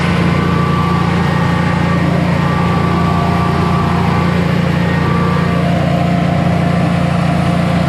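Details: Generac Guardian 16kW standby generator, refurbished after exploded battery, running on gas under close to 6,000 W heater load: low constant drone holding steady speed, no dipping or hunting; didn't even hesitate, healthy.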